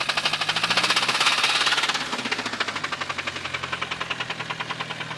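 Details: 1998 Mitsubishi Eclipse GST 4G63T engine: fast, sharp metallic knocking over the running engine from a spun rod bearing and crankwalk; thrust washers found in the oil pan, crank and block scrapped.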